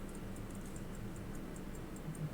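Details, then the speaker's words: Hunter-case pocket watch, returned after repair, ticking after the overbanking problem was fixed; faint quick steady ticks, about five per second, with an even beat and no stumbling. "ticking look at that and I fixed the over banking problem"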